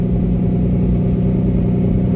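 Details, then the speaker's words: 1999 Lamborghini Diablo Roadster warming up: deep, even idle rumble with steady beat, no knocks or misses; RPM dropping toward the 1100 target, fans kick on and engine tone changes, oil pressure easing from eight bars to high sevens; normal warm-up idle. "once these RPMs get to about 1100 and right now you can hear the tone of the engine has changed"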